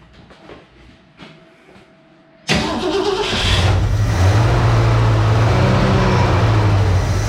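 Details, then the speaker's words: 1966 Ford Mustang 2+2 fastback, 82,000 miles, sat for years, first start after fuel pump replacement with empty fuel lines: quiet cranking, then catches into a rough, lumpy idle while the lines fill. "now there's no fuel in the fuel and the whole lines or anything so this thing's going to need a some cranking for sure take several times"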